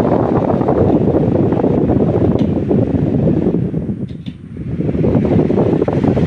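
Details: Table fan after jam repair, reassembled with the front cover refitted: an even airy whoosh from the blades with no hum, rattle or scraping; the fan spins freely and quietly, where before it hummed and barely moved.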